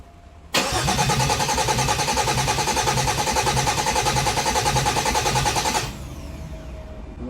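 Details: 2008 Dodge Nitro, first start attempt after an engine change with about 2 gallons of fuel: steady cranking that never catches; spark present but noid-light test shows no fuel injector pulse.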